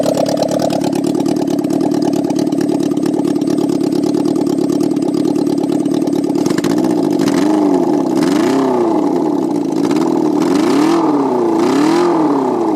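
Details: Honda N600 with a motorcycle engine swap, carburetor pilots cleaned: loud, buzzy, uneven idle and ragged throttle blips; owner thinks the mixture is rich and needs adjusting on all carburetors, and it is only idling on two cylinders.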